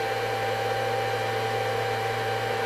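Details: Schumacher digital battery charger, repaired with replacement fan of the wrong size, while charging a battery: steady, even fan whir with constant hum underneath, no rattle or scraping; fan runs healthy.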